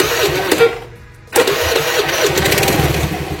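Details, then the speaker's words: Carbureted Honda Vario scooter after the carburetor choke was closed off as a fix for hard starting and high fuel use: cranks briefly, catches with a sharp rise, then holds a steady, even idle with no hunting or surging. "Oke ini setelah terpasang kita akan coba Nyalakan ya biasanya agak kecil rpm nya tidak manjur seperti tadi karena joknya sudah ditutup"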